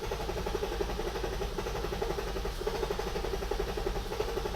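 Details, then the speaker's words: Metric Mechanic 3.7L stroker M30 in a BMW E34 on a newly installed plug-and-play standalone ECU, first start: lumpy, uneven idle with low rumble and slight stumble; wideband reads about 11 AFR, very rich at idle versus 14.7 target. "So, right now we're at about 11 AFR, so it's running super rich. 147 is optimal for idle and cruising."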